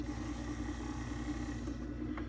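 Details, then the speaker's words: Hotpoint/GE refrigerator evaporator fan motor (WR60X10141 replacement) bench-tested before fitting: a steady, fairly loud hum with a mid tone and no knocks or scraping. It is "kind of loud" but works normally. "And before we make fools of ourselves, let's make sure this one works. You hear that, right?"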